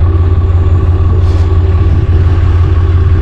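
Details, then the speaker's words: Cummins QSB 4.5L diesel on a machine being unloaded from a trailer: deep heavy rumble with a rough knock about three times a second; suspected connecting rod small-end knock, feared it would throw a rod. "this big bad boy here is making a sound from what i hear it's a pretty bad sound sounds like it's about to throw a rod from what i hear"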